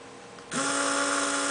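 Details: Small motor driven from an Arduino Yun setup: quiet hum, then a sudden clean start into a steady, even, mid-pitched whine with no rattle or stutter; it runs normally.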